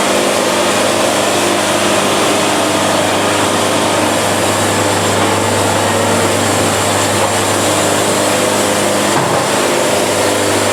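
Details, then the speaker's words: Band sawmill cutting fast to avoid band bounce and sawdust packing; steady, even engine and band drone with no flutter or chatter; band mirror smooth with zero buildup afterward, running great. "look again I mean mirror smooth zero buildup at all this thing is running great"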